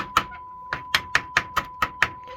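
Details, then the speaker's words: Technics amplifier after resoldering suspected dry joint at amplifier module and redoing heatsink compound: constant high test tone holds through eight sharp chassis taps; intermittent cutting out fixed. "we seem to be good."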